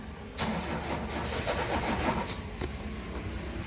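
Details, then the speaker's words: Tata Sumo Grande diesel with replaced ECM: starter spins engine steadily for a few seconds, never catches; crank no start, scan shows fan driver, EGR valve and other fault codes. "அதுக்கு முன்னாடி இதை start பண்ணி பார்க்கலாம் வண்டி start ஆக மாட்டேங்குது"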